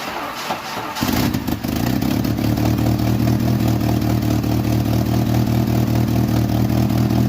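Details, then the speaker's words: 1986 Jeep Comanche 2.5L four-cylinder, started after a valve cover gasket job: short crank then loud, raspy, uneven idle with harsh exhaust note; owner suspects the exhaust manifold cracked again somewhere. "I think the manifold cracked in some other place again that's really loud yeah I basically basically lost another exhaust manifold"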